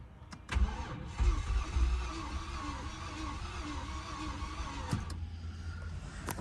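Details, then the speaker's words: Ford BF XR6 MK2.5 after changing the VCT solenoids; stalled pulling into driveway, now cranks quickly and evenly, spinning freely as if no compression, never catches; owner suspects engine is cooked, battery charge also questioned; cranks but won't start. "it's just spinning over freely like there's no compression at all"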